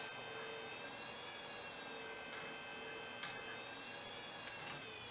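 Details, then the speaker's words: Old Apple-branded hard drive from a damaged shipment: faint high whine with a few isolated clicks as heads try to initialize; platters never spin up, not recognized, a spindle motor failure. "you can hear it try to initialize the head so yeah that's a motor failure right there"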